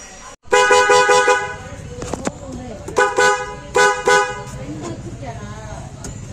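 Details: Ashok Leyland Dost after horn rewiring, two horns fed with earth and main supply through a fuse: several strong, clear horn blasts with a steady, full tone and no crackle or fade; horn working properly.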